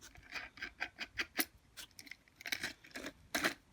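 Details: Kids' balance bike rear wheel turned by hand, with the dust cap popped out on one side of the hub. Irregular gritty crunching bursts, rough compared with the front wheel: a worn rear wheel bearing.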